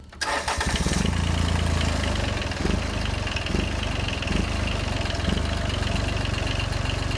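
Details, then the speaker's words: John Deere 755 compact tractor, Yanmar 3TN diesel, first start after rebuild with new injectors, shutoff solenoid tied back: catches quickly, steady even low clatter with light rattles from unattached parts and flywheel shield interference; running normally. "yeah yeah that sounds way better already there just an interference from that Shield everything else is just stuff rattling"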